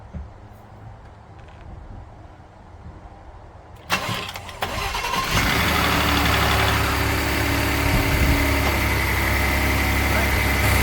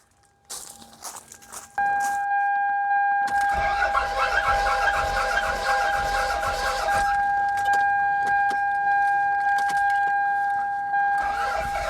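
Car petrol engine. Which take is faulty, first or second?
second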